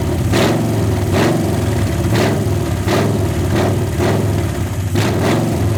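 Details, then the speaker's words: 1981 Ford Mustang 302 V8, automatic, open headers, 14-year-old oil, about 50 psi, no radiator, long parked: lumpy idle with a sharp tick about once a second; lifter chatter, owner suspects unpressurized lifters, a flat cam lobe possible but doubted. "has quite a bit of lifter chatter, which isn't a bad thing. It hasn't been ran for so long."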